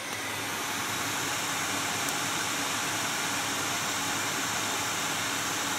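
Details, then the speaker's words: GTX 980 graphics card fan at 100% speed, heard from desk height (about 47 dB; about 72 dB at the case): loud steady airy whoosh with faint hum, no ticking or rubbing; normal. "100% speed. Okay, so up here, you know, I'm not trying to BS you. I mean, it is like 47 decibels up here."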